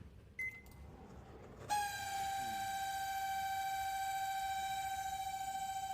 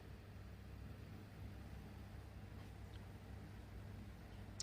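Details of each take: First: Samsung microwave running with a loud, steady buzzing hum that stops abruptly; noise from the cooling fan motor with a dry bearing. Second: Samsung microwave that ran loud because of its cooling fan motor, after the motor was cleaned and oiled and greased: only a low, steady hum with no rattle. Quiet, normal running after repair.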